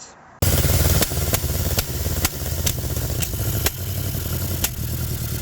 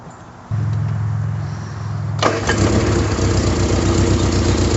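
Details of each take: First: 1974 MG Midget on test drive after carburetor synchronization: uneven running with irregular sharp pops about every second over a stumbling note; cracked manifold leaking between intake and exhaust. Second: 1974 MG Midget after carburetor and performance upgrades, with the idle and mixture still to adjust: the starter churns under two seconds, then the engine fires cleanly and settles into an even, steady idle; normal start.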